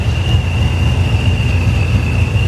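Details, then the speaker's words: Supercharged Corvette Stingray idling during a TPMS reset: a constant high supercharger whine with a chopping sound over a steady engine rumble; normal supercharger noise. "You can hear that supercharger is just whining. Listen to that thing."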